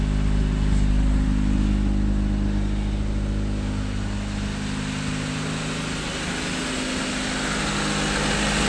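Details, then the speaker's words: 1992 Honda Accord after the idle air control valve was removed and cleaned with carb cleaner, warming up: even, low idle rumble, somewhat high but consistent, with no hunting or surging. "there we go all right it's gonna start it's gonna be fun hi idle but at least it's consistent"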